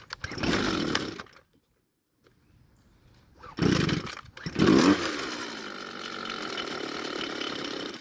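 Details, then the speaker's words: Red string trimmer, hard to start hot and won't idle: it runs briefly and dies after the choke is turned off, then fires and sputters back. "well it started but after turning the choke off the engine didn't want to stay running"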